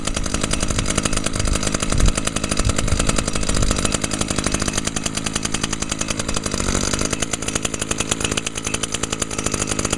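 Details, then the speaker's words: 2011 Echo PAS 230 trimmer power head, 22.8 cc two-stroke, started on choke after priming: screaming, even buzz holding high revs, higher than the SRM 225, no stumbling or misses; normal high-RPM run. "cool yeah as you can hear that this one runs at a much higher RPM than the srm225 so this one here is powered by a 22.8 c the engine"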